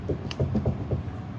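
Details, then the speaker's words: Dodge Hellcat rear differential with the car raised and exhaust removed: the pinion, rocked by hand, gives dull, irregular metal clunks from excessive pinion play. The owner blames a shop's work. "has a ton of play in it, dude. This is not going to cut it."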